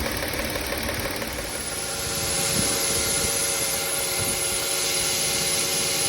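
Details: Car engine running after the squealing drive belt was swapped for a new one. Runs evenly with a faint steady accessory whir, no chirp or squeal; normal running.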